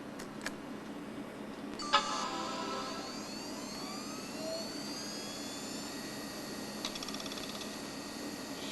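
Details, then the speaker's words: Macintosh PowerBook 520c hard drive, apparently a Conner Peripherals unit, at startup: soft whine climbing in pitch over a few seconds and settling smoothly with no clicks or scraping; healthy spin-up. "sounds like a connor peripherals drive oh yeah looking great"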